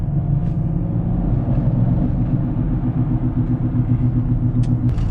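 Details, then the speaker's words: E53 BMW X5 on the highway, recorded from inside the car: a low, pulsing "wwww" drone under the road rumble at speed. A bad rear wheel bearing is suspected, left side, unconfirmed. "so the noise is sort of like a ww w w w kind of sound we're going get on the highway see if we can hear it a little better yeah we can definit I can definitely hear it now"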